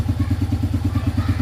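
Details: Yamaha Vega R after piston replacement (size 50) for heavy white smoke, idling: steady low thumping at about nine firings a second, even, no knocks or misses; no smoke, oil circulating to head, running smoothly.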